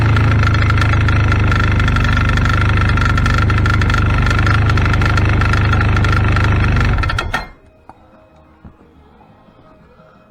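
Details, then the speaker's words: 2016 Arctic Cat ZR5000 snowmobile, cold day around 30–40°F: loud, fast, even rattle over a busy two-stroke idle for about seven seconds, then shutdown; rattle comes from the primary drive clutch, cause suspected, not confirmed; clutch rattle. "this machine here it's got a rattling noise coming from the primary clutch don't know if you'll be able to hear it or not we'll try it"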